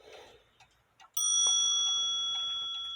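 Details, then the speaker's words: Antique grandfather clock, hammer adjusted with space from the gong: one clean strike then bright, clear, slowly fading ring, a vibrant healthy gong sound. "you hear how vibrant that sounds sounds sounds beautiful"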